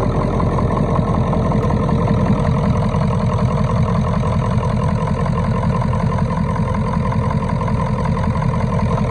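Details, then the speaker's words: 1996 Ford F250 7.3L Powerstroke diesel revived after sitting, just started with starting fluid, check engine light on, possibly not charging: steady, even diesel clatter at idle, firm low rumble, no misses or knocks; normal diesel idle. "Never dreamed that truck would have come back to life that quick."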